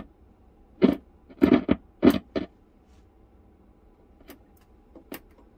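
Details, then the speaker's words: Low hiss with sharp irregular crackles and pops through the speaker on a radio powered through a 100 W bulb limiter, mains transformer tapped 240–260 V, after it previously emitted smoke when plugged in; crackle source not yet traced. "So where did all that smoke come from the last time we had this? We attempted this. You can hear a crackle in the speaker."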